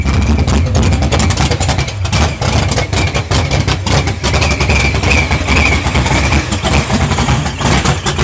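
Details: 632 big-block with F2 ProCharger: loud, lumpy rumble with an uneven beat and surging revs; rough running, owner says the carburetor needs fine tuning and suspects a leak.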